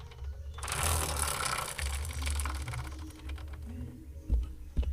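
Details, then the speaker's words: Yamaha MT-15 after a long break, rear wheel spun by hand: dry rattling, ratcheting whirr with clunks from the chain; worn chain and sprocket set needing replacement. "असा आवाज येतो chain मधून so त्याच्यामुळे चेन्न pocket change केल्याशिवाय काय लागणार नाही"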